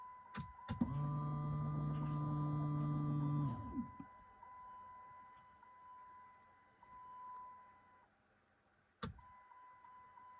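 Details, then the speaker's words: Dodge Charger 5.7 HEMI after installing an AEM 50-1000 high-flow fuel pump, key-on before start: steady electric hum about three seconds, then clean stop with fluid swooshing; the new in-tank pump primes normally. "But when I turn the key on, I do hear the fluid going and I hear water swooshing, so."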